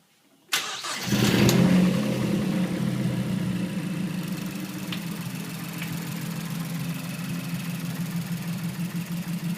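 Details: 2008 Mazdaspeed3 petrol engine starts and idles with a steady top-end knock about four times a second from the valve cover, definitely not the injectors. The owner also notes rattling on acceleration.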